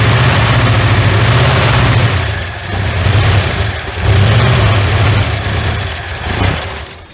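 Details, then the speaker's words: 1981 Ford F100, revived after sitting 24 years: heavy rhythmic starter cranking, about four compression pulses a second, never catching; no start because the fuel hose wasn't in the gas tank. "it should had plenty of time to uh get the fural up here unless I don't have it plugged in I don't think I got it sticking in the gas tank do I no sir"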